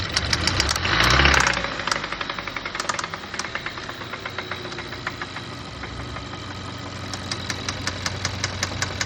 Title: What does a knocking engine / ROD knocking sound like? Signs your engine is finished! #mechanic